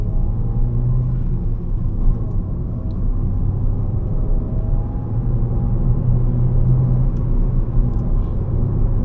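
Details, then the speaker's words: 2014 Ford Fiesta Ambiente 1.4 Duratec on new Radar Dimax Sprint tyres, on the road: steady low rumble without the rhythmic woo-woo hum of the old tyres; quiet tyre rolling. "Okay, this is sold as a high performance low noise tire. And when it comes to noise so far, I think it's a check for me"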